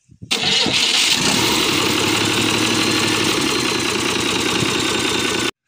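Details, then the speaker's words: Hino H100 diesel engine, starter fitted, no alternator: starter catches fast and it settles into a loud, steady, even clatter with no misses; healthy start and run, turbo reportedly fine, though it has some blow-by. "Nay lắp được cái đề nổ máy. Trung báo với anh em là máy đậu hơi, cái con máy này đã nhận cọc nhé anh em."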